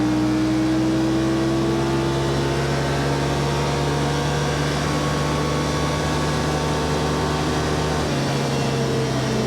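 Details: 2021 Yamaha Wolverine RMAX XTR 1000 4-seater, Trail mode, after a change cutting cruise RPM about 600 (5800 at 44 mph): loud steady drone, even slightly rising hum at cruise, no knocks or grinding; drivetrain smooth at lower revs.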